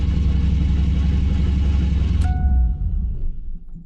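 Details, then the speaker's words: First start of a V8 after a Terminator X EFI wiring install: it rumbles at high idle, then a sharp, high squeal cuts in for about a second as revs drop. Found to be the alternator belt, squealing or slipping, needing tension adjustment. "All right, figured out the squealing was the belt for the alternator. So I gotta either tighten that or loosen that."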